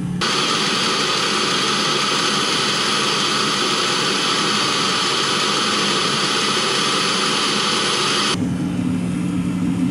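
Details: 2016 Mercedes Sprinter (2.1 L four-cylinder diesel) diesel-fired block heater: a steady high jet-like roar holds for about eight seconds, then drops to a low hum as it is switched off. The burner ran normally.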